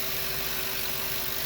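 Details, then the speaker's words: 8.1 Vortec V8 in an RV/motorhome, idling with no fan blade fitted during engine and radiator cleaning, seat belt buzzer sounding: smooth, quiet, even hum with no knocks or misses; normal idle. "while i'm letting it soak i let you probably let you listen to this engine run without a fan blade get that seat belt buzzer it's unbugging but you see we got no fan blade"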